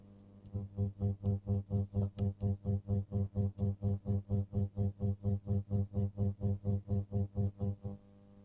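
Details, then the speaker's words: Columbia tube amp with bias tremolo on 50 Hz mains: a loud rectified hum near 94–100 Hz, pulsing about twice a second and switching with the output valves; a ground hum. "So on the F&T plot, we've got a hum at 94 hertz. So that's rectified hum. So main's frequency is um 50 Hz. So double that being 100 Hz."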